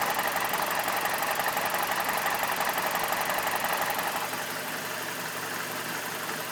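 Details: BMW E46 with N42 engine idling, recorded up close with the MAF unplugged: engine clatter with an uneven, hunting beat just under two per second. Rough idle persists, cause not pinned down.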